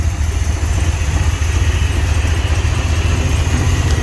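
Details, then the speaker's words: 1978 Ford F100 Cleveland V8, first run after about six years sitting, carburettor cleaned of mud: low, lumpy idle with uneven pulses and no steady beat; misfire from two plug leads suspected broken during spark plug change, new leads planned. "So it's inside and it runs under its own power, not very well. That is greatly because I think we broke 2 plug leads when I did the spark plugs on it."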